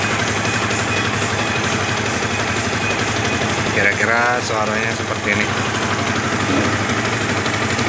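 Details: 2010 Yamaha Vixion single at idle: rough, uneven rattle that disappears when clutch lever is pulled; clutch housing found loose, wobbling by hand.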